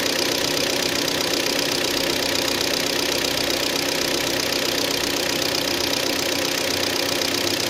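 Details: Hyundai ix35 G4KD engine, 66,000 km, cold after 12 hours standing outdoors, idling with a sharp, regular ticking knock about three a second; piston knock from scoring in cylinders 2, 3 and 4.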